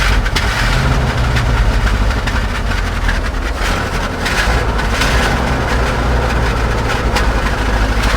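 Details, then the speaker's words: 1970 Chevy C-40 mechanics truck, V8, sat 15-plus years: first start after the ignition wires were hooked up gives a deep, steady idle burble with an even beat and no knocks or misses; it runs and sounds good. "it does run good. It sounds good."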